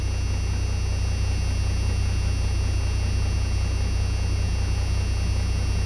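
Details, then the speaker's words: Turbocharged truck at idle with its converted A/C-compressor air compressor, fed filtered boost air from the intake manifold, charging the air-bag tank; steady fast-idle hum with even low pulsing, no knocks or squeals. Normal operation. "Boost pressure charging the tank. From idle, this is how fast it charges."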